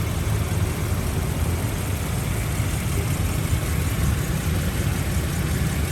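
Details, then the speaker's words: 2001 Toyota Kijang Krista 2.0 EFI petrol manual, 109,000 km, idling: steady, even low idle with no knocks, ticks or stumbles; engine described as very smooth throughout, healthy. "l dari tadi halus banget suaranya nah ini Mobil saya katakan istimewa mesinnya tim mesin lawas mesin sudah injeksi injeksi model lama ya tidak helm sama sekali suaranya halus banget"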